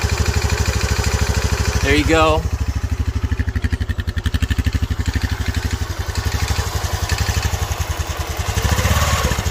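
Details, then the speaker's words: Honda CT125 Trail 125 with a Yuminashi 164cc big-bore piston and cylinder, replacing a Takegawa 143cc kit: hollow rapid piston-slap knock over the exhaust, then shuts off; owner suspects lean running at wide-open throttle destroyed the piston. "again I've got piston slap of course this is not a takagawa piston cylinder anymore this is a umenoshi uh piston and cylinder"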